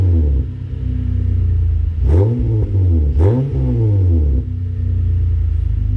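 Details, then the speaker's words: Acura TL with 3.7 V6 and Endless RPM aftermarket exhaust: smooth, deep exhaust note rises and falls through two quick revs, then settles to steady idle; not too loud, healthy engine revving. "it sounds really nice it sounds really nice it's not too loud not too obnoxious and you can hear that 3.7 a little better than the uh stock exhaust"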